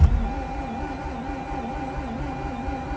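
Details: Mazda RX-8 with two-year-old fuel being replaced, clutch in, cranked in long bursts with cool-down pauses: steady rhythmic cranking that never fires, starter turning more strongly than before; crank no start, cause unconfirmed, starting fluid planned next.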